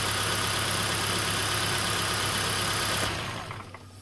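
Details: 2011 Kia Soul with a blinking check engine light: petrol engine idling with a loud hiss and a low, uneven pulse from a misfiring cylinder; a spark tester shows no spark from that coil.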